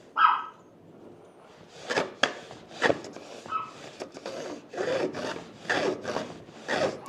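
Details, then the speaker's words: Freshly sharpened No. 5 jack plane on hard maple at a shooting board: repeated dry rasping strokes with no clean shaving hiss even after advancing the blade; the plane scrapes instead of cutting because of an assembly mistake. "Does that sound like a nice brand new freshly sharpened blade on a piece of wood? I didn't think so, either."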